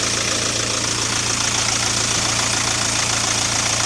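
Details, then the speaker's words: 2009 Mk1 Ford Transit Connect diesel at idle after alternator replacement: steady, even idle with a low hum and no belt or alternator whine, squeal or chatter. Normal running; the van's separate oil issues are unrelated to the alternator. "All looks to be running very smoothly. I have got oil issues to deal with, but they're not related to the alternator."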